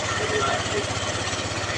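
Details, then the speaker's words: Yamaha NMAX version 1 scooter idling after installing a new original tensioner and refitting the throttle body: even rapid idle pulsing about fourteen times a second with no ticking or rattle; engine now quiet. "Ayan na, tahimik na tayo."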